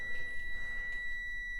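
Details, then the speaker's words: Dryer bimetal thermal switch reset by pin pressure through a drilled 1/16 in hole: a steady, high meter continuity beep shows its contacts are closed again. "So if you have this issue and it keeps or you trip this, you may want to try drilling this, and then you got a little bit of pressure and it resets"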